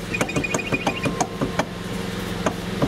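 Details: 2009 Kia Ceed estate, 72,000 km, turning the steering wheel: sharp, irregular knocks in the steering column as the electric power steering motor coupling's rubber damper has crumbled away.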